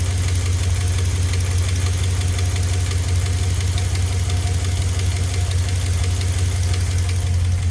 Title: 5.7l hemi 4th gen ram ticking noise hot start